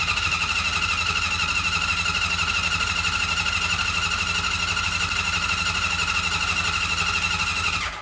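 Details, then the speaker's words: Honda CB750 cafe racer, first start after full engine rebuild with fuel still leaking: steady starter cranking about three turns a second with a thin whine, never firing; crank no-start, owner suspects no spark. "f still leaking and um not firing possibly no spark not even a cuff or a splatter"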